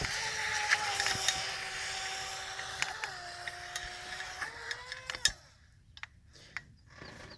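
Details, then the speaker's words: Pro Boat Jet Jam RC jet boat after a brushless motor upgrade, running on 2S on a muddy pond; high motor whine jumps in pitch as the intake sucks air and cavitates, losing propulsion until throttle is released. "sounds like it almost like if it was a normal boat that it broke the propeller but what's going on is it's starting to suck air cavitating and then it loses all propulsion"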